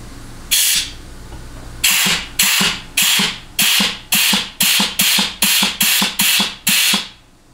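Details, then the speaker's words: 700R4 automatic transmission case air check without a test plate, shop air through a rubber-tipped gun and vacuum hose into the reverse input port; sharp air bursts with soft thumps despite a leaky seal: normal clutch apply and release. "okay again even less than an ideal seal but we still hear that clutch applying and releasing like we should"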